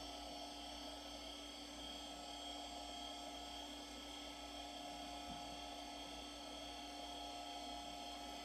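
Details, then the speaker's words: IBM PS/2 55SX with a replacement logic board at power-on: steady drive and fan hum with a thin whine, but no beep for nearly nine seconds and solid keyboard lights. Owner suspects the system is hung. "no beeps yet I've got solid lights on the keyboard so I'm guessing something is hung up"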